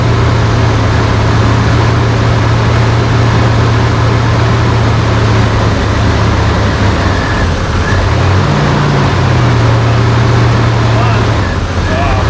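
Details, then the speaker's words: 1992 GMC Sonoma GT, 4.3 CPI V6, at first start-up after extensive idle-surge work: the idle drone swings up and back down around eight seconds, a surging idle. "thank you I give up what was that noise it does it every time I turn it on this thing dude"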